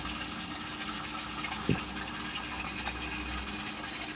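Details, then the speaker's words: Topsun water pump with variable-speed motor, speed capped by setting below about 1000: steady, even motor hum with water rushing, holding one speed without climbing; running normally at its set limit. "นี่ครับรอบมันจะตันอยู่ที่ประมาณนี้นะครับมันจะไม่ขึ้นไปมากกว่านี้อยู่9900แล้วก็1,000นิดๆหน่อยๆนะครับแต่แต่ไม่ถึง1,แน่นอน"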